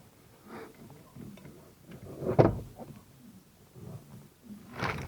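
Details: 2005 Toyota Corolla E120 steering column removed and turned by hand: dull scattered clunks. Power-steering worm shaft bearing replaced before and worn again, bushing loose; worn steering column bearing.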